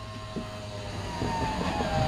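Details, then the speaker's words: 1972 Oldsmobile Cutlass 442 convertible power-top electric pump motor whining with a rising, labouring tone while raising the top; owner says it is low on hydraulic fluid; strained pump motor. "goes back ease more easily needs a little encouragement coming up but you can listen to the motor and you can tell that it's low on fluid"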